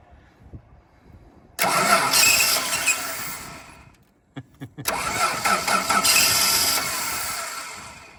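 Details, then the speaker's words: Free donor ute with Chrysler 215 Hemi six, three-on-the-tree: engine fires and runs a few seconds while cranking, cuts out, catches again and fades; won't run once key released; owner suspects dead ballast resistor. "Sounds like this ballast resistor is sounds like this ballast resistor's dead. Because it starts when you crank it and then it stops when you let go, you know?"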